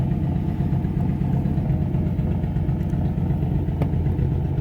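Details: 1955 Ford V8, hot, choke pulled out about halfway to raise idle: slightly fast, uneven, lumpy beat as one cylinder skips. Misfire traced by unplugging wires one at a time; the cause was a bad spark plug wire.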